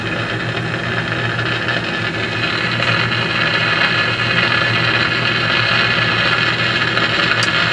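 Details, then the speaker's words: Philco 50-920 tube radio after capacitor replacement: steady rough hiss with random crackles and pops. Owner suspects liquid contact cleaner still in the tube sockets. "I'm just sort of getting some noise now well let me experiment with it a little bit more and I'll see may just be that there's still some liquid contact clear in the sockets causing a bit of a problem"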